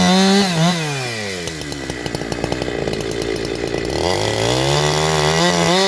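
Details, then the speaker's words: Chainsaw with a big-bore shotgun muffler mod, cutting at high speed: it screams up, bogs into the cut and climbs back with a thin, strained howl; owner says it has leaned out after the mod and needs more fuel on the high screw. "Funny enough, I might actually have to add fuel at the high. That's now leaned out."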